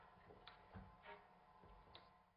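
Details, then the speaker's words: Stuart model steam engine run on steam from a rebuilt Stuart 504 boiler, running at half then quarter speed. A dull clunk about once a second comes from crankshaft side play, with the flywheel knocking against the front bearing. Flywheel knock from crankshaft end play. "the clunk that you can hear is just some side play on the crankshaft and it's the flywheel knocking against the front bearing"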